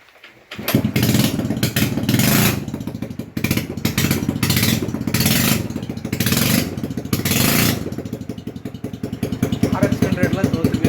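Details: TVS Wego scooter with cracked silencer bend pipe: starts into a loud, raspy, rapid popping exhaust rising with each throttle blip, before replacing the bend pipe; exhaust leak, costs mileage and pickup.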